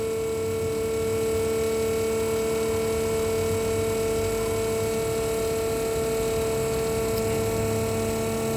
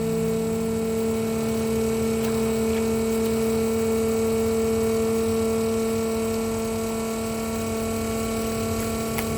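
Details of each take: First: RVGUARD RV macerator pump on 12 V from the cigarette lighter, emptying the black tank about 50 ft through a standard garden hose: a steady, even electric hum with no surging or rattle, normal operation under load. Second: RVGUARD 12 V macerator pump emptying RV black tank through about 50 ft of garden hose: steady loud whiny motor hum with nothing gurgling through as the tank empties; running dry, risks burning out the motor.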